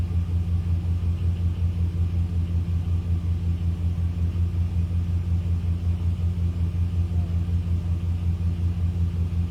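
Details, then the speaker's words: 2001 Dodge Dakota quad cab AWD, 151,291 miles, just started after replacing the size 27 battery: deep, steady rumble about 160 pulses a minute with no misses or knocks; normal idle. "So, it's running nicely. Uh, that's all I know."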